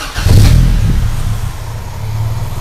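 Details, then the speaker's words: Honda Civic Genio with Ferio engine, cold start, ECT sensor reading about 2.3 V: cranks, catches, then low, heavy, slightly uneven idle around 600 rpm with deep rumble; low cold idle speed, ECT/IACV suspected, not confirmed. "RPM-nya dia rendah banget ya. Jadi di 600 RPM dan ini sensor ECT-nya."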